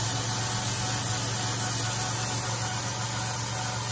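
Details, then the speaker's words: 2010 Caravan minivan at idle: a faint, constant high-pitched whistle over a steady hum, source unknown; owner says it runs fine and whistles when cold, stopping after it warms up. "me empezó a hacer este ruido con el que en una parte no sé de dónde venga es el silbidito"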